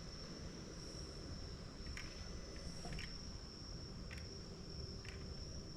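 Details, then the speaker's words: Can-Am Spyder backed out of the garage, GoPro 12 recording: a steady piercing high-pitched tone, then static hiss coming over the radio speakers with no engine beat behind it; cause unknown, before the bike went into limp mode. "What you'll see in this next segment is where I backed the Spyder out of the garage, and then you hear this high-pitched tone, and then you're going to hear a staticky sound. That staticky sound is coming over the radio speakers."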